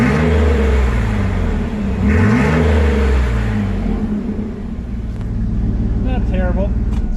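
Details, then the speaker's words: Stock 4.3 V6 2003 Chevy S10, 269,000 miles, muffler removed: loud, raw V6 rumble with deep throaty drone on revs, no muffling; straight-pipe exhaust. "a tune to it for sure"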